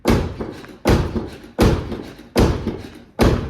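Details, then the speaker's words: Passenger-side door release on a C6 Corvette after the door switch contacts were cleaned: five solid, even thuds about a second apart, each opening cleanly on the first try with no hesitation or grinding, a normal latch. "now if you own a C6 Corvette you know how hard that is to do usually cuz it never opens on the first try but now perfect"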